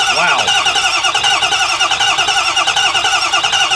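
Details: Ford diesel bus that sat for five months, cranking with a jump pack added: fast, even cranking beats with no firing; won't start because injection oil pressure is too low (needs at least 500 psi).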